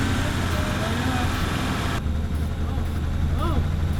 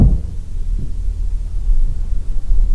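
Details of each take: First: Toyota Supra idling roughly: low, uneven, hunting idle with a wavering beat that never settles; starting fluid reaction reveals an intake vacuum leak. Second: Toyota Supra long left sitting, original coil and igniter, about 125 psi measured on the compression gauge: the starter cranks with heavy, even thumps and compression builds. Normal cranking compression.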